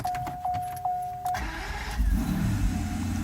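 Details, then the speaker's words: Mercedes S600 W140 start after starter repair and lubrication: brief chime, engine cranks barely a moment and catches almost instantly, settling to smooth run; starter now spins much faster than before, healthy. "as a matter of fact it actually starts easier because now the start is all lubricated it is really quick before I heard the speed of the starter was much slower now it's much quicker"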